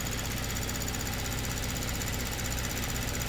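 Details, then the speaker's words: 2022 Kia Stinger, 32,000 on the clock, low power/limp mode: at idle, light quick ticking (about two a second) shows the high-pressure pump working normally with rail pressure restored. It was in full shut-off mode before. "now we've actually got some ra rail pressure and obviously we can hear that pump doing something now so that was in full shut off mode before"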